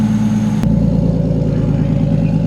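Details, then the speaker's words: Nissan Skyline R33 drift car with RB25DET, first start after two-week teardown and rebuild, cold foggy morning: steady, even idle with smooth low hum, no misses, knocks or hunting; never held idle this nice; oil pressure good; normal idle. "Actually sounds really good. Wow, it's such a big difference in the way it sounds. That's crazy. It's never held idle this nice either."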